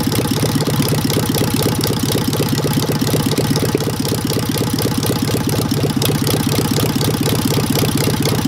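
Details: Engine with Solex 30 PICT carburettor, after fixing a stuck pump ball valve and flooding from a wrong service-kit needle valve (original refitted): fairly steady idle that keeps missing and stuttering, about four pulses a second; still misfiring, popping, possibly a valve problem.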